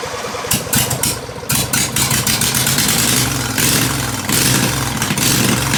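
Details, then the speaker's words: Husqvarna Z246 zero-turn mower (two blades, 46-inch deck) catches after a few cranks on choke and settles into a fast, steady idle with blades engaged; gas tank off on a trash can; starts and runs fine. "So it runs, the blades came on, the transmission is hard to test with the gas tank sitting on the trash can."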